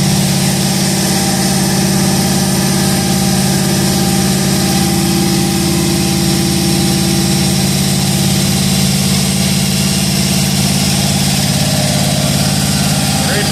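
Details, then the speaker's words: Budget cammed 5.3L V8, first start, on a base tune and not fully tuned. Steady, even deep rumble with regular firing pulses and no knocks or misfire; revved with nothing through the block. Normal idle. "well it's not fully tuned but it's running on the tune he threw in it uh everything sounds good no knocking no clanging no banging"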